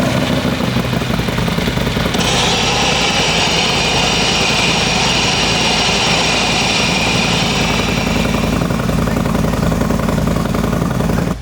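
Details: 2020 Harley-Davidson Street Glide Special M8, stock transmission failed, run with clutch out: loud rough running with harsh mechanical clatter and gritty rattle; gearbox or primary suspected, owner wonders about clutch or an improperly torqued aftermarket compensator, not confirmed.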